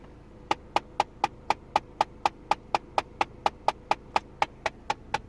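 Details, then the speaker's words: Car idling with AC on: crisp, even ticking about four a second from the dash for a couple of seconds when air recirculation button is pressed, then normal; climate control ticking. "it'll only tapped for like a couple seconds in there and then I'll go back to normal"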